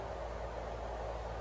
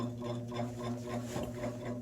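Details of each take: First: 1950s GE box fan with diffuser grill running after blade balancing: steady even whoosh with low hum, no wobble. The hub was off-centre on the spindle and shook badly; two shelf clips added as counterweights fixed it. Bearing still has play, motor loud. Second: Vintage 1950s GE box fan, three-speed electrically reversible, on low with bearing play: fast steady rattling shake about three beats a second, growing louder, as the blade hub sits off-centre on the spindle; fan blade imbalance.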